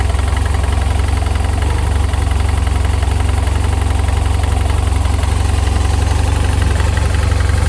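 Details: 2007 BMW F800ST at steady idle: heavy low rumble with an uneven light knock about three per second; owner suspects piston slap, unconfirmed.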